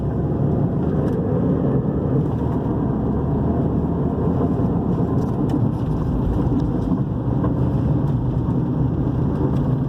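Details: Toyota RAV4 2010, 2.4 petrol, road test: a steady deep rumble under road noise while driving, louder when cornering, from a worn right rear wheel bearing; owner had complained of suspension noise.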